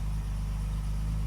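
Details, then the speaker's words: Classic car after fitting the correct ignition coil, new contact breakers and condenser, and static timing; low, steady, even idle with no misses or knocks; normal idle. "It's the best it's ever run."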